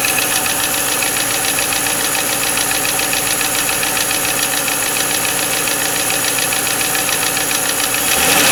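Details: 1995 Lincoln Mark VIII LSC, Ford 4.6 DOHC Modular V8, at idle: sharp, rapid tapping about three to four per second; owner unsure whether lash adjuster tap or piston slap/rod knock.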